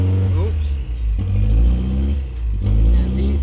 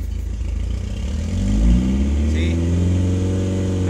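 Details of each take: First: Toyota MR2 engine at idle, revs rising and falling on their own about every 1.5 seconds with no throttle input; idle surge from a misadjusted throttle position sensor, fixed by re-centering its adjustment screw. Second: Toyota MR2 petrol engine after the throttle position sensor was readjusted; it had been cutting out around 2000 rpm, but now idle smooths and revs rise and hold steady without stumbling or cutting out.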